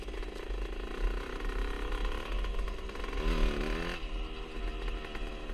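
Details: 1977 Honda CR125 Elsinore two-stroke with newly installed HPI ignition, replacing one that broke up spark at high revs: revving with a ragged, uneven note that now and then stutters; intermittent stutter, owner suspects an exhaust leak.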